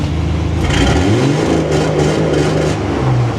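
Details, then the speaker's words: Dodge L-head flathead in a vintage off-road wrecker, new EFI on MaxxECU Mini: engine revs hard then holds a slightly stuttering roar on the fuel-cut rev limiter, overshooting to about 3,100 rpm or higher; fuel-cut rev limiter engagement. "That didn't sound too bad, but it looked like I hit 3,100 RPM or higher there."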